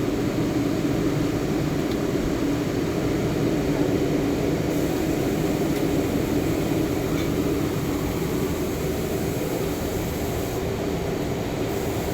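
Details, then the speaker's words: Fusing press run after greasing the gears and chains and refitting the roller, with the belt control and stoppers set: an even, continuous mechanical hum and whoosh with no knocks, squeals or grinding, running normally. "Ayan siya, umaandar na siya. So yan, pinokontrol niya yung belt."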